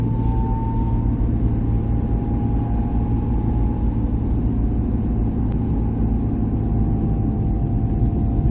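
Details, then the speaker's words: 2008 Mercury Mariner driving after a steering shaft and steering box install: a steady low growl and road rumble from underneath while cruising, with no clear knock. Cause unknown; the owner hopes it will quiet down. "nice oh I got a helmet got a growling underneath now hopefully all that'll straighten out hopefully that'll quiet up"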